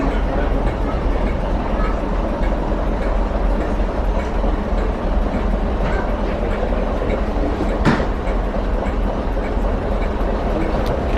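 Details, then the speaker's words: West Somerset Railway DMU diesel railcar at a station platform after standing idle for months. Even, steady low diesel rumble with no knocks or misses under the station noise; the engine is running smoothly and okay now. "Because it's been standing idle for months. But as you can hear, the motor's running okay now."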